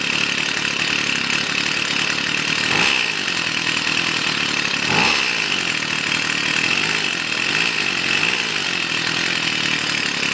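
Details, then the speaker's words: Stihl FS 55 trimmer that would not start (plug wet), cause too much oil in the fuel mix, restarted with clean gas once warm: a high, steady two-stroke buzz with brief blips, running clean and even. Normal running. "все работает маленькой бы работала тепленькие стала пробую еще раз"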